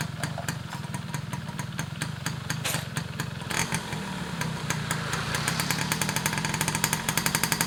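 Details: Restored Yamaha F1ZR two-stroke with a rebuilt stock (STD) engine and full clutch: ringing with sharp crackling pops that quicken as revs rise, picking up cleanly without stumbling; healthy after restoration.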